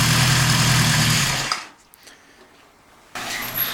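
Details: 1974 Honda CB750 K model, four-cylinder SOHC with four carbs, about 250,000 km: steady, even idle with a smooth low beat before it shuts off; normal idle.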